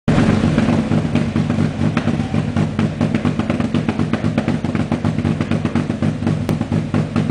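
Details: A-gr Renault Clio on a KTR Gen 90 tune, idling with its rough-idle setting. Lumpy, choppy idle with loose pops about four a second and no steady rhythm: a deliberately rough tuned idle, not a fault.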